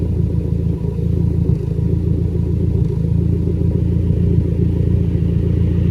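Low, steady idle rumble with only an occasional uneven beat; the misfire is still there but much milder than before.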